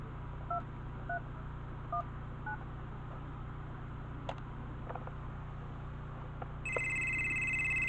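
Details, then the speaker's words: Southwestern Bell FC2544 phone, called by dialing number five from a SIP test phone on a mini SIP server: keypad tones, then a steady high warbling ring holds evenly; the ringer works normally, close to the original sound. "as you can hear, it's ringing. Not the original chord, but it's close enough to the original."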